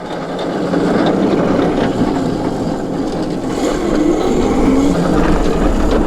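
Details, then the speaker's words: Crazy cart fitted with Taxi Garage Super Solid Tire caster, rolling past: loud coarse roar with loose rattle about three beats a second; no left-right play, solid tire suspected of shaking the whole cart. Rattle and vibration. "do you hear that like ambient rattle hear that like it's is it always that loud BR cuz it's that much more solid"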